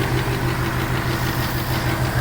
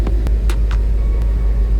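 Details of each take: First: 2018 Mustang GT Coyote V8 with custom cold air intake: regular light clapping tap about three a second at idle from the intake runner control valve (IMRC), stopping when its blue connector is unplugged; can be mistaken for a knock. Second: 2018 Mustang GT Coyote V8 with custom prototype cold air intake, hood up, about 70°F outside: deep, smooth, even rumble at idle with no shake, tick or miss, a calm healthy idle.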